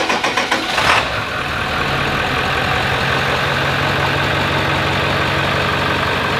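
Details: 7.3L diesel, first start after about $100 of parts including CBD fittings, checking for leaks: a few cranking pulses, then it catches into a steady, even idle with no knocks or misses; normal idle.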